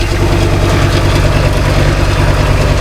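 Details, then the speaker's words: Ford Ranger Wildtrak 3.2 diesel after replacing failed turbo gasket, full exhaust refitted, air intake off: deep, steady, smooth idle with even pulses, no hissing or puffing; no exhaust leak heard. "Alright, let's run her up with a full exhaust. See if it's made any difference. Sounds very smooth."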